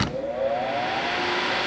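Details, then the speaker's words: HVAC training board with the thermostat bypassed by jumping R to G: a click, then a smooth airy whoosh with a faint steady tone as the indoor evaporator blower motor starts; normal fan operation. "and our fans started because the power is on"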